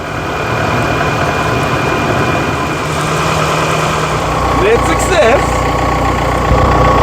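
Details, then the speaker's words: Rover 75 diesel (M47 engine), non-starter after running out of fuel, fuel pump repaired: settles into a steady idle with faintly uneven beat, about four pulses a second; runs, not very smooth, as before. "Yeah. And it's as smooth as it was before. Not very. Not very smooth."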